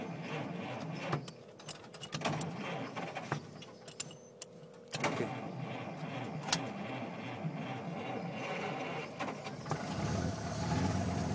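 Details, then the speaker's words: Willys-Knight sleeve-valve engine, not run for a while; cold start with the spark control pulled out, uneven cranking with scattered knocks, then it catches and settles to a soft, irregular run; normal cold start. "once the engine started then you can push the spark back in you hear a change in the engine"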